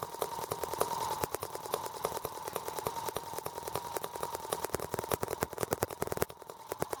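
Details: R18 model engine on first start with a replacement Hall sensor harness; ignition now works. Sharp, uneven popping about three a second over a faint steady tone, running rough and shaking. New balance problem, cause unclear.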